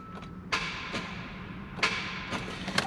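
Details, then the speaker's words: 2017 Hyundai Santa Fe XL 3.3 L with a no-start: on key turn the starter gives sharp single clicks about half a second apart but does not crank the engine. Diagnosed as a starter issue. "so anyway I diagnos it with a starter issue um so today we'll be just replacing a starter on this model"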